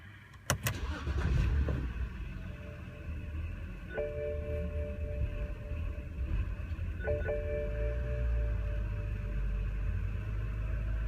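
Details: BMW petrol engine (E90/E39 3 or 5 Series) settling into an uneven, lumpy idle; cylinder 4 misfire and throttle codes: rough unstable idle with hunting RPM.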